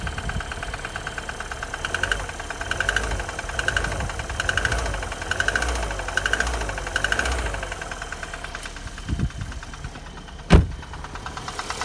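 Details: Chevrolet Cruze, 1.8 Z18 engine, at idle: sharp metallic knocks about every 0.8 seconds over a quiet idle. This is engine knock with the cause not yet identified.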